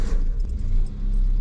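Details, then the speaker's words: Peugeot 205 with new spark plugs, warmed up and clutch adjusted beforehand: a low, even rumble with a faint jingle on top and no stumble or hunting. A perfect slow, steady, healthy idle. "with new spark plugs it holds a perfect slow motion"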